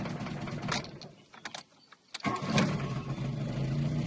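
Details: VW Golf Mk2 with CIS injection cranks and catches, then stumbling idle that dips and recovers; misfires and stalls after alternator starts charging, traced to a faulty Hall sender in the distributor.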